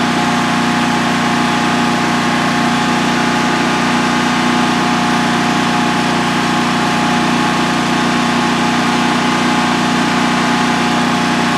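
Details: DuroMax XP15000HX generator on propane, newly installed in a shed, second start, exhaust fan off, five-minute test run: constant even drone, steady hum, no surging, misses or knocks throughout; healthy idle, no issues.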